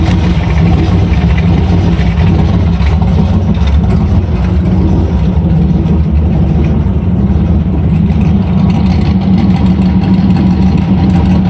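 Low, lumpy idle that sags and hunts with a steady throaty rumble; that surging points to a vacuum leak at the carb base.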